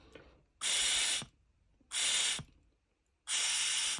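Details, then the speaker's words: Removed PCV valve tested by blowing through a hose from the crankcase side: three breathy air blows each ending in a soft click as the valve snaps shut; healthy PCV valve. "This is the second test. Okay, look, you hear the sound is closing."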